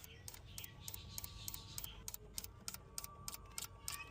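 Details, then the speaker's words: Mahindra Bolero BS6 diesel with DEF error/no start, urea dosing injector was choked and cleaned, sensor replaced: crisp even "kit kit" ticks about three a second as urea sprays; normal DEF injector clicking. "तो urea dosing bulb को spray कराते हैं। देखते हैं करता है कि नहीं। तो देख सकते हैं। किट किट की आवाज कर रही है।"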